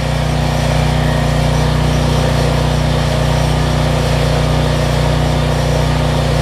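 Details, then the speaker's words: Generac 7500EXL generator, needed choke to start, running under about 1500 W heat-gun load with the faulty low oil switch unplugged and engine speed turned down; steady, even drone with no hunting or surging. "i always got to choke that's much better"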